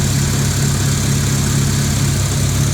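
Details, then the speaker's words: 2002 Honda Civic EX (EM2), daily driver before K24 swap, power steering deleted: low steady idle with faint unevenness, engine visibly shaking at rest; rough idle, cause not evident. "let me show you the engine you can see it's shaking pretty good"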